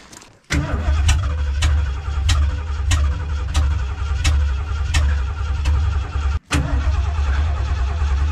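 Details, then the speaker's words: 1978 Lincoln Continental, cold start: several seconds of steady, even cranking before catching into a deep rumbling idle; runs fine once warm, owner suspects choke and carburetor need adjusting. "oh so it needs a little bit of carburetor tweak yeah you once it warmed up though perfect it just needs that choke dialed in"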